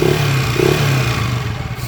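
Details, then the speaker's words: TMX 155 motorcycle engine revved, coarse clattery roughness; noisy timing gear suspected, with cam follower, push rod, tappet screw and valves also to be checked as sources of the roughness and ticking. "Sobrang ingay na nung kanyang timing gear. Ayan timing gear. Check pa natin yung come follower push rod and then top screw tapos sa balbula. Yan ang mga pinagmamulan ng gaspang or lagitik."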